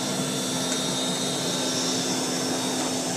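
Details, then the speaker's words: 1940s Eureka Roto Matic Model 800 canister vacuum, the quietest in the collection: a steady motor hum with a soft whir at constant pitch, no rattles or surging. Normal motor hum. "yeah this is by far my quietness vacuum in my collection it just has that little hum to it that's so pleasant to listen to while you go back"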